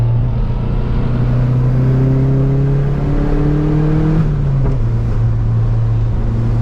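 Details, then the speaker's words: 1986 Mustang SVO with cold air intake refitted, before swapping to a 1994-95 SN95 5.0L throttle body, hard pull toward 6,000 rpm in first and second gear: deep drone pulling smoothly with no stumble; strong, healthy acceleration. "Dude, first and second gear are crazy now. Sounds great. Oh, it's way faster, dude."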